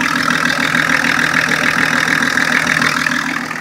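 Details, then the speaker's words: 1984 Lincoln Continental turbo diesel, running again after the parts came in and it was put back together, on its cold high-idle system: a loud, even diesel clatter at a steady fast idle with no stumbles or odd knocks. The engine runs fine. "so don't sound too bad to me it sounds like a diesel"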